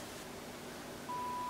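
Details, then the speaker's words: Sony Air 7 airband receiver after repair (previously received nothing), squelch turned fully up while signal level is reduced: hiss drops away and a clean tone holds; squelch opens and closes correctly. "now turn the scatch up it's all the way up let's reduce signal level till it cuts out"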